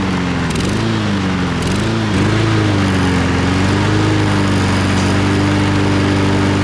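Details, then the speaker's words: Husqvarna AWD self-propelled mower, unused 3-4 years, after fitting a new carburetor: small engine settles from a few uneven dips into a steady, even drone; it runs normally and is considered fixed. "It seems to work great, so I'm gonna call that success. A lot faster than I thought too, man."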